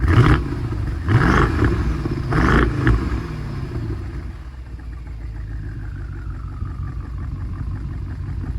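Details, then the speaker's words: 2015 BMW 650i N63TU V8, downpipes removed and exhaust flaps zip-tied open, gives a few sharp revs, then a low, uneven idle with a recurring stumble. Misfire persists after replacing the cylinder 2 injector and trying chemicals; owner suspects passenger-side valves. "Pretty much just a little more volume of what it was before, but at least both exhausts are now letting exhaust out."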